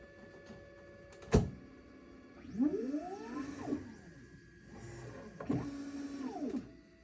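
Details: Formlabs Form2 resin 3D printer: motor whirs up and down in pitch, sharp click before first run; strange abnormal motor noise.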